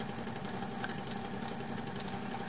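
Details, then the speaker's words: Fidelity Argyll Major 4-track mono reel-to-reel tape recorder, English-made around 1959-1960, switched on; constant rough hum with a gritty rattle, quite a noise in the motor, cause unclear; noisy motor. "now this turns on i'm going to turn it on for you and show you what it does it's the on switch but you can see this you can hear there's quite a noise in the motor there"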